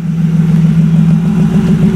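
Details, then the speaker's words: Car after replacing a broken vacuum line from the fuel filter area to the intake manifold that caused a vacuum leak: smooth, steady low idle with an even pulse, no hiss, stumble or hunting. "so we replaced it now this thing's running great"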